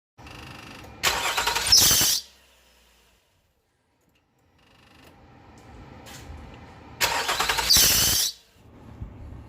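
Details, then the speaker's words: Nissan Murano 3.5L at start-up: a loud, harsh squeal flares for about a second as the engine catches, then fades. This is the squeak the car has on starting; it is not yet known whether the alternator/AC belt or the power steering belt is at fault. "so because what happened was when you start the vehicle is squeak"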